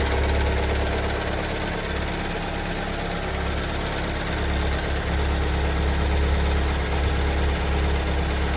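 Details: 2022 Kia Sorento MQ4 2.2 diesel at cold start, returned from two weeks in service as fixed: a loud, fairly even knock of about four per second over a heavy low rumble at idle; cause unclear.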